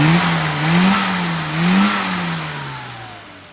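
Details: Mini carburettor car after on-the-road tuning, fuel added across the rev range and acceleration enrichment reduced via 10-weight damper oil and filed damper: engine blips up twice crisply, falls smoothly and winds down evenly; revving cleanly and responsive.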